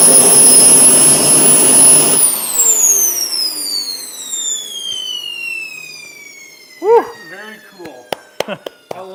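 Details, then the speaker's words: Twin turbines of a giant RC F-14 jet on their first test run: a loud, high whine holds steady, then winds down smoothly in falling tones. Temperatures and acceleration were good and auto restart worked. Normal turbine run. "All right, so everything worked out well with the test runs. Temperature-wise, everything was good. Acceleration-wise, everything's good."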